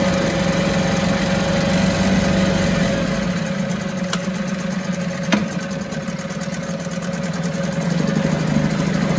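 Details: 1974 US-made Mercury 4 hp single-cylinder two-stroke outboard, revived after long storage, running in a test tank after reassembly: steady, even buzz holding one speed with no misses or knocks, runs like a top; normal running.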